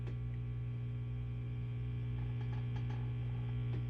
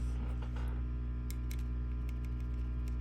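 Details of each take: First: 5150 II tube guitar amp, clean channel idle, after preamp tube replacement: loud steady low hum with buzzy edge and faint crackles; environmental mains and RF noise entering early preamp stages, disappears with post/master down. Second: 5150 II tube guitar amp, volume full up, no Faraday cage, after replacing microphonic 470K resistor R82 on preamp tube board and a preamp tube: steady low hum, light taps give only faint clicks; microphonic noise gone.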